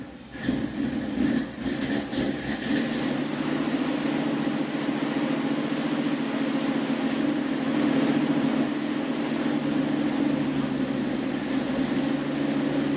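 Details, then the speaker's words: 1976 Dodge Dart V8 warming to a steady idle right after fitting a rebuilt Edelbrock carburetor (replacing a 780 vacuum-secondary Holley), idle mixture screws being turned down; slight lumpy lope from a mild cam, even, no misses or knocks; healthy. "that's not really too bad this has got a little bit of a cam in it that would be in a stock engine it might even idle smoothly"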